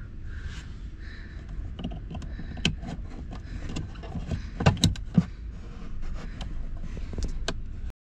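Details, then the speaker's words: 2015 Tesla Model S rear hatch stuck unlatched (three-beep problem): after the black plug unplug trick, repeated faint motor whirs and sharp clicks in bursts while nothing releases; cinching latch actuator seized. "well the uh plug and unplug trick is not working I could hear the latch in here being attempted to actuate but it is totally seized so we have to do it the hard way"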